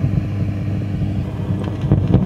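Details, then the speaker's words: Fender Pro Reverb guitar amp (possibly a reissue) on the bench with a crackling, popping fault: constant low rumble with rough fluttering texture and crackly bursts; pulling preamp valve 2 later reduced it considerably, cause not yet found. "well the first thing as always is to check that we still have the fault with the amp up on the bench and we do [Music] can hear that rumbling away there"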